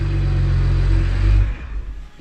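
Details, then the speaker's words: BMW 1M E82 after its original charge pipe blew, revved to check for boost leaks: short deep rev held steady, then shut off and winding down; no hiss or whoosh, no leaks. "great success everything is working no leaks nothing"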